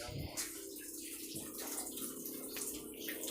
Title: My refrigerator making noises